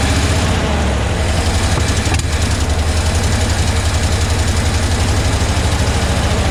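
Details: 1975 Ford F750 pipeline truck, after getting fuel squirting with cleaner added: low lumpy idle, uneven beat about two pulses a second, loping as if struggling to stay running; better than before, cause not confirmed.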